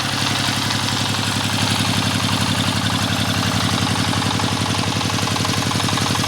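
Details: Dompeng S1115 single-cylinder diesel that pushed oil out the exhaust, after both loose valves were replaced with new valves and carbon cleaned: even idle thump of about two beats a second with no knocks, and no white smoke in the first minute. Healthy.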